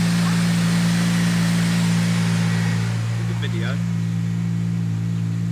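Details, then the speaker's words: Honda Civic Type R project car at steady idle after the exhaust was reworked and a cat fitted: deep, loud droning exhaust with a strong low rumble; likely MOT-passable now but still far too loud. "so I think passing an mot should be okay now we've got a cat but the noise is still a bit too noisy"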